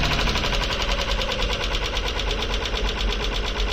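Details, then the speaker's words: Junkyard engine (Isuzu/Honda, misfire) at idle: rough uneven idle with sharp, high, fast irregular ticking, described as very sharp; owner suspects lifters and doubts the noise will clear; sounds like valvetrain noise. "si usted tiene una opinión buena o mala la que sea o no es un ruido muy agudo"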